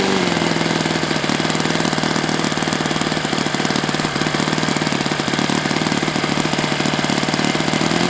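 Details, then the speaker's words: Enya 46-4C model four-stroke with air bleed carb on the bench, first run at 74°F in humid weather; fast steady buzz with a soft, slightly burbly edge, suspected slightly rich; owner may open the air bleed. "This features an air bleed carb. So I was doing my pinch test for 4 strokes and it seemed like it was okay, but it's a little bit more humid here than normal, so I might open."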